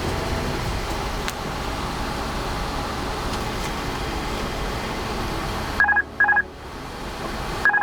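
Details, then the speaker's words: Airbus A330 cockpit during first engine run-up after storage: over steady fan and engine roar, a two-tone electronic chime sounds in short repeated bursts with a yellow light, the master caution alert. "whenever you're in flights you hear that that means watch out something is coming up importance and the yellow light that you listen to right now don't that's a master warning oh sorry Master caution"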